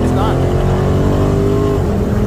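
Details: Car with Brembo brakes and a 392 Hemi V8 after brake service (pads removed, pistons compressed, rotor cleaned with brake cleaner): deep V8 rumble with no brake squeal while rolling; squeak at stops fixed.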